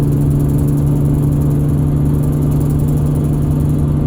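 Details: 2001 Ford Excursion running: constant mid-pitched whine holding an even tone over steady engine drone, source not identified; whine.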